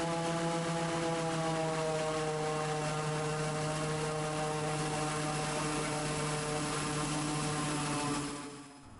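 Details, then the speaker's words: Raptor prototype aircraft engine with its prop governor working; the engine settles to a steady, even drone at about 3100 rpm, pulled down from 3300 by prop load, although the gauge jumps around. This is normal governed engine speed. "even though that gage is jumping around you can actually hear that the engine is fairly consistently set to about 3100 rpm"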